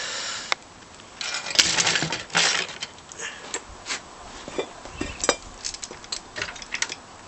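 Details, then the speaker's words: Yamaha XS650 chopper engine turned slowly by hand, cylinders off, after sudden loss of compression and kickstart resistance: irregular metallic clinks and scrapes, rough catching rotation from the crankshaft area; cause unknown, owner wonders if something is trapped. "do i've already heard that unfortunate sounding noise it's not running smoothly at all or it's not turning"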